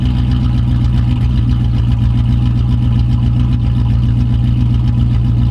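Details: 1995 Dodge Ram after the tank was dropped and leaking fuel and vent lines replaced, running to check for leaks: a deep, steady idle rumble with an even beat, no stumble or ticking. Running normally with no leaks seen.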